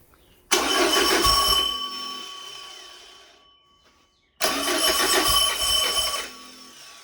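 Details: Porsche 914 with newly built 2056 cc engine, performance cam, enlarged valves, dual throttle body MegaSquirt EFI, 123Ignition, on test stand, first start: cranks, catches about two seconds, fades and dies, twice; too lean, fuel not set correctly in software.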